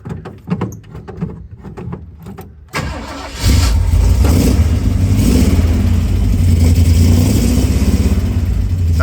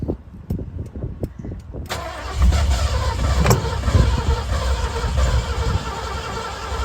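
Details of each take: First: 1966 Ford Bronco U13 barn find on a temporary gas tank, new exhaust, cold start with choke pulled: a few quiet clicks, then cranks and catches at once into a steady, deep, even rumble; starts fine. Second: 1966 Ford Bronco U13 Budd body, first start attempt with a new, unadjusted and possibly leaking carburetor, choke nearly closed; steady cranking just under two beats a second, engine never catching: crank no start, cause unconfirmed.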